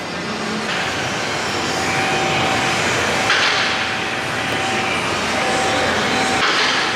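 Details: Honda S2000 driving after swapping axles, hubs and wheel bearings: a steady, loud hollow roar like a plane on the runway with a faint constant hum, audible over the radio. The wheel-bearing drone persists after the repair.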